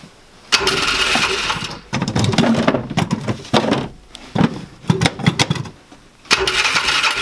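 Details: 2005 Polaris Ranger 500 UTV, bought non-running; getting spark, owner suspects low compression or bent valve. Uneven, sputtering bursts that catch briefly then fade; engine won't keep running on its own. Cause suspected, not confirmed.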